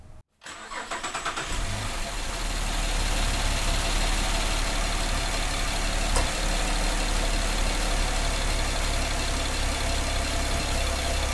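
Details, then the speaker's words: 2008 Cadillac CTS 3.6L direct-injection V6, P0300 with misfire on cylinders 2 and 5, all four cam actuator connectors unplugged: engine cranks, catches and idles mostly even with a faint slow roll; bad ECM signal or cam phasers suspected. "so I'm getting a little rolling effect but if I plug the actuator in it runs worse"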